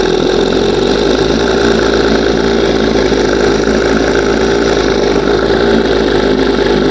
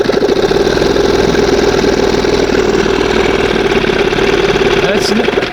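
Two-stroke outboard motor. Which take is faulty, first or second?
first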